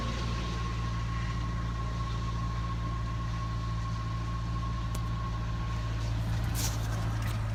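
Low, steady idle with a faint whine above it and a slightly uneven pulse underneath; a mild cold-start roughness.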